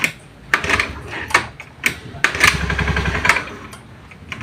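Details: Honda Beat injection scooter hard to start: electric starter fails, kick-start gives a brief uneven burst of running that then dies instead of settling to idle; no MIL blink codes shown; it lacks power and won't idle.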